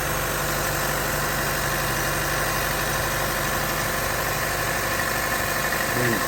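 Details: 2012 Chevy Cruze with 188,000 miles, first start after installing a new aluminum thermostat housing and thermostat, starting temperature 72: steady, even idle with a smooth hum and no knocks or ticks; healthy.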